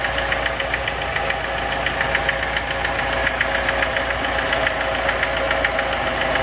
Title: Стук в двигателе РеШН